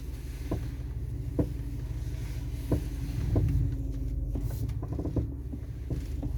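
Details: Audi A4 B7 front end, one month after new TRW upper control arms: irregular dull pops and clunks while turning the steering wheel, sometimes when pulling off straight; mechanic says front right arm joint is dry, owner wonders about subframe bolts; unconfirmed.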